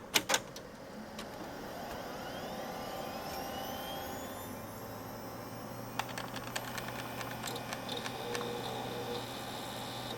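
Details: Gateway LP Mini Tower KAD K7-700 (AMD Athlon 700 MHz), booting with the fan off after a RAM module swap: sharp clicks, then a low hum rising and settling as the hard drive spins up, light seek ticks. Normal boot.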